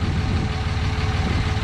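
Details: 2006 3rd gen Cummins diesel with newly installed AirDog II 165 GPH lift pump (factory-set 15–17 psi), XDP sump and Fleece filter delete, Bully Dog GT tuner: low, even rumble, steady beat, no miss or knock; healthy smooth idle.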